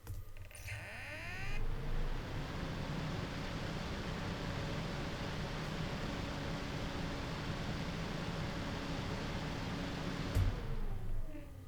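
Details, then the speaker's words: Arctic BioniX F120 PC fan at maximum rated speed, 1800 RPM, microphone 10 cm away, unfiltered: spins up to a steady airy whoosh with faint even hum, no rumble or bearing grind, then winds down; healthy, about 39 dB. "This sound sample is unedited and unfiltered, and the microphone is 10 cm away from the fan. In addition, the fan is spinning at the maximum speed it is rated for, so this is the worst case scenario possible."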